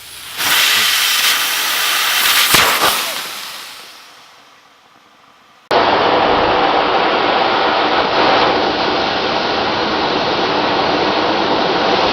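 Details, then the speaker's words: Workshop compressed air line blowout: loud sudden blast settling into a hard steady hiss as an old leaking fitting was taken apart after the compressor kicked on; pressurised line let go, shooting rust out like a shotgun. "Wow. That shot rust all into my hand. Wow, that was like a shotgun."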